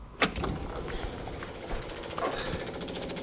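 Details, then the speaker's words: Beck 550 Spyder replica with air-cooled VW engine and Dellorto carbs, fuel system redone: rapid, even ticking of about 13 clicks a second from the electric fuel pump priming normally, no leaks seen. "our pump ticking away here we see anything everything look good under there that's good"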